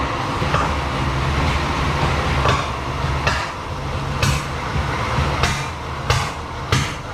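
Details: 1937 Chevy barn find: rough lumpy run with sharp pops about once a second back through the carburetor, caused by crossed plug wires upsetting the firing order.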